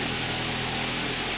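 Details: Ford Focus towed in for stalling right after start-up because its AC compressor had locked up. Now idling after the AC compressor repair: an even, steady run with fan hiss on top and no knocks or rattles. Healthy normal idle.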